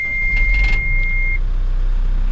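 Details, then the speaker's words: 2016 Case 590 Super N 4x4 loader backhoe, 4,868.5 hours, about a quarter tank, slightly warm, recorded in the cab: one steady high beep lasting about a second and a half over a low diesel rumble during start-up, a normal self-check. "So here's the control panel. I'll fire it up. You can see all the warning lights come on"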